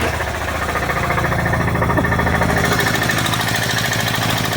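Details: 2004 Subaru Outback wagon with an EJ25 engine, just bought and running with smoke coming out. A harsh, busy idle with a rapid, uneven tapping knock over the engine. Badly worn internally; the cause is not yet found.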